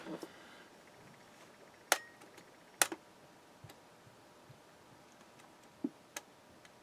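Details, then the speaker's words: Germanium-transistor flea-market radio on old 1.5 V D cells: a couple of sharp, isolated speaker pops when the power button is pressed, with no playback; the batteries are dead. "That's why I heard a little bit of a noise when I hit the power button. Let's see that again. You can hear a little pop when I hit this power button."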